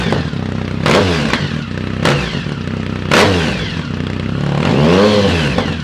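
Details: 2010 Triumph Speed Triple SE with new untuned Competition Werkes exhaust, SAI block-offs not installed: revs rise and fall with sharp pops and crackles as the throttle closes, roughly once a second; exhaust popping on deceleration, cause suspected, not confirmed.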